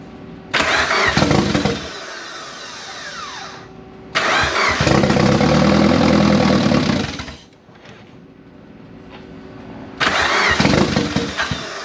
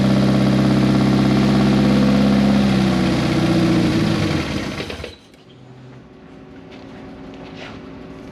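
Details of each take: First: Engine starting after almost 10 years of storage and 2 years of work: fires after a brief crank, revs up and settles to a steady idle, repeated; normal start and idle, runs cleanly. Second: Turbocharged project car first started after almost 10 years, with straight header exhaust, 1000cc injectors and no mass airflow sensor fitted: loud raw high idle, then revs sag and it dies after about five seconds. Owner suspects the missing MAF sensor; cause unconfirmed.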